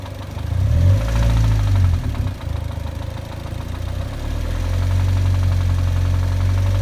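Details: 2006 Mazda Miata NC at idle: a steady, light, regular knock about three or four times a second, low and even; the owner suspects the VVT actuator, not confirmed.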